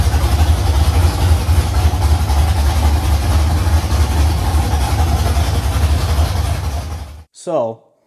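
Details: First start of a carbureted LS V8 in a Fairmont on open headers (1-7/8 in primaries, 3 in collector), fuel pump off because of carburetor leaks, about 40 psi oil pressure: a loud, choppy idle with steady cam lope, even firing and no misses or knocks. The idle is normal.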